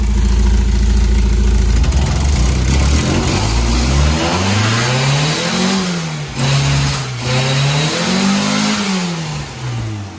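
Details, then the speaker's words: Mazda Miata 1.6, new spark plugs, ignition coils, fuel filter and upgraded fuel pump, fresh 5W-30; catches right away, even idle, clean rising and falling revs, some smoke, probably from the added oil. Normal running after start. "I did not expect it to turn over so easily."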